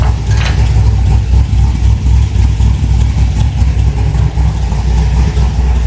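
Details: V8 with regular port injectors, about 76,000 miles, reportedly tuned by others: deep lumpy idle with uneven pulses around once a second, no steady rhythm, not tuned right; later found running rich.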